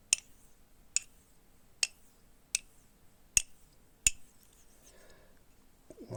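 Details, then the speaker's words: Straight razor (F Star) honed on a narrow Japanese natural stone with little water: crisp light clicks about every 0.8 seconds as the blade flips between quiet strokes, with the characteristic whistle; normal honing. "ну тут в принципі як завжди що називається всі япнатіки працюють изумітельно мало води відразу висохла і так дивимось слухаємо роботу характерний свист при"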